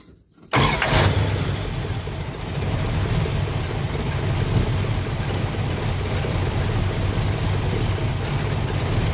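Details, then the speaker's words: Warmed-up engine with Thermoquad carburetor, idle mixture screws at 1.5 turns out: lumpy, uneven idle with no steady beat and almost no vacuum, running really rough because the idle mixture is too lean. "Like, so you can hear it's running really rough. I don't have hardly any vacuum at all. It's running pretty bad."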